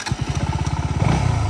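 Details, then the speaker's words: KTM Duke 200 in first gear after chain and sprocket kit replacement: an even single-cylinder thump at about fourteen beats a second with no chain slap or rattle. Earlier noise was from the chain; normal idle. "లేదు, మొదటి గేర్‌లో శబ్దం రాదు. సౌండ్‌కి సంబంధించిన సమస్య అంతా కేవలం చైన్ సమస్య వల్లే వచ్చింది."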